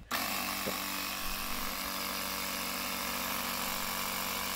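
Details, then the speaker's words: Four-year-old Stanley jump starter's built-in air compressor after repairing the worn plastic piston ring with tape and plenty of pump oil: starts at once with a steady, fast, even buzz, building and holding 10 psi; normal running. "far sounds good and I can feel it's filling up and look at that even the PSA is building it"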